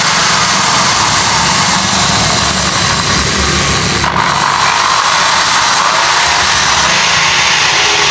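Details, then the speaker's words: Old Bosch drill after carbon brush replacement; steady, unbroken motor run at constant speed with no stutter or grinding, drill motor running normally after repair. "இல்லனா சுவிட்ச வந்து clean பண்ணி திரும்ப நல்லா போட்டு dust பண்ணி dust எல்லாம் எடுத்து நம்ம போட போறோம். இப்ப மெஷின் ரன் ஆகும்."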